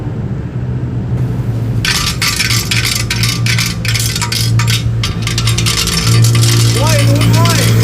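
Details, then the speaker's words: Honda Vario 125 scooter on uneven or bumpy roads. Uneven bursts of sharp metallic clatter over the engine hum from a foreign object loose inside the muffler; fix is removing and grinding open the muffler. "Dan setelah saya melalui pengecekan berbagai cek ini sumber bunyinya di area knalpot ya. Dan ini benar-benar di area knalpot ya."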